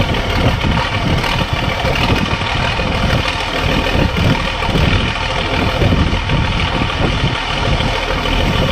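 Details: Case 1450B dozer with rebuilt diesel engine, first start after reassembly with oil pressure gauge coming up: steady, deep, even idle with no knocks or misses; normal idle.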